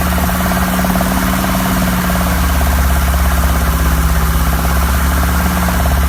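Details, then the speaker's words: 1972 BMW 2002, 2.0L inline-four rebuilt with Ireland Engineering parts, second start after revival: rough, rapid rapping at idle, about three beats a second; owner doubts rod knock, source undetermined; also weeping antifreeze. "yes I hear that snotty rappy sound I don't think it's a rod wrap but I need to figure out what it is"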